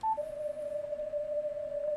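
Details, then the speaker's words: Amateur radio receiver on CW with digital noise reduction off: a steady, pure tone around six hundred cycles ringing over quiet hiss, normal CW filter ripple, which digital noise reduction can eliminate, sounding like the noise from a charging laptop. "see how it sounds the same that is filter ripple but the digital noise reduction can eliminate it"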